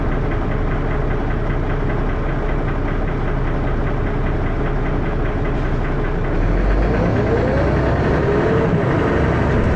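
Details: First Manchester Dennis Arrow bus 31923, recorded onboard with a phone: heavy diesel thrash with a loud rough knock about four per second, growing louder toward the end; engine knocking, cause unknown.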